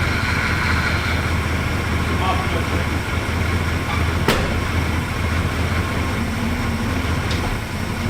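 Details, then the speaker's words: 1978 Dodge Diplomat, 53K miles, warm idle after transmission reinstalled and refilled with ATF: steady low idle, single soft clunk as it goes into reverse and drive, no harsh bang; engages softly, not at full pressure like before. Normal transmission engagement. "It goes into reverse. Goes into drive. And it goes into reverse softly, not at full freaking pressure like before."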